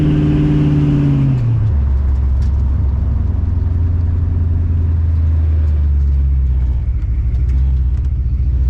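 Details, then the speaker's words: Oldsmobile TH350 automatic on a road test after governor gear and filter replacement; revs climb then drop cleanly into the next gear and settle to a cruising drone, crisp shift, no slip; first, second, third and reverse all work. "all right it's all done I am one happy man all right we have first second and third as well as reverse still like I am wrapped happy ass"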